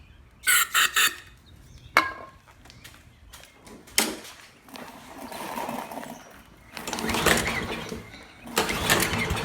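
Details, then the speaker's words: Free Poulan 22-inch self-propelled mower with Kohler 149cc 6.75 engine, previously run without air filter, pull cord too short; pull-start bursts catch into uneven small-engine clatter that keeps running, so it starts and runs. "previously shown um this mower does run but the pull cords too short"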